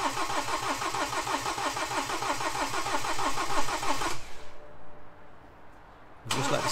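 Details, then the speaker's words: BMW N47 engine refitted after a broken timing chain, fuel rail and pump emptied dry: steady starter churning, about three beats a second, with no firing, then a pause. Extended cranking, no start, while the dry fuel system primes. "I'm thinking this could take a minute or so to turn over it normally would do cuz that F rail was completely dry you know we' emptied all of that out the pump was empty so we just keep it cranking keep it cranking and hopefully eventually it will clear and it will kick"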